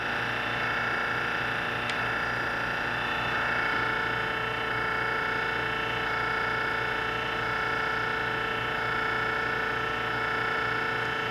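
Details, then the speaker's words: Giddings & Lewis Winslowmatic model HC drill point grinder, 1996, wired 460 V, 12-inch wheel, during a grinding cycle with infeed: steady motor hum with a soft, even pulse about three a second as the head rotates; runs normally. "start the cycle it would be rotating your drill against the wheel and then this is the infeed"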